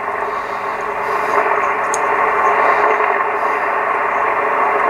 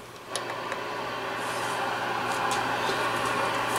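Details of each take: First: Classic Yaesu FTDX 560 transceiver on 40 metres with antenna connected: even hiss of band noise with faint crackles, no hum or dropouts, peaking with the pre-select; receiver working normally on this band. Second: Classic Yaesu FTDX-560 ham transceiver on first power-up, tuned to 25 kHz: only flat steady static hiss with low mains hum, no signals received; peaking the pre-select makes no difference.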